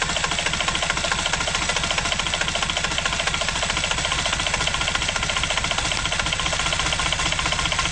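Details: Kubota L722 3-cylinder 0.8-liter diesel, very rusty inside, after an injector pump rebuild; rapid regular knocking, three or four a second, hammers through the clatter at steady speed, and a piece of connecting rod was found. Connecting rod knock.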